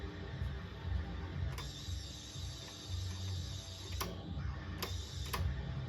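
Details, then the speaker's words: Heathkit AJ-41 receiver on AM after a capacitor replacement: distorted audio over a low rumble with a thin high whistle still present; squeal reduced but fault not yet found. "well seems that we have less squealing noise but still a bit yeah very distorted audio"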